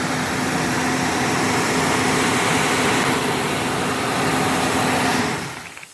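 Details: 1998 Ford Ranger after fuel pump replacement: steady engine held just off idle, easing back near the end; even and smooth with no stumble, ticking or knock; normal idle.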